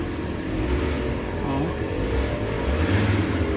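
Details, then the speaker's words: Ford Ranger diesel after diesel flush, oil change and XADO treatment, revved with aircon on: deep rumble rising cleanly with throttle, no knocks or rattles; strong, unit shaking, healthy. "Galit na oh. Lakas lang. Tsaka lumilindol yung unit, gumagalaw."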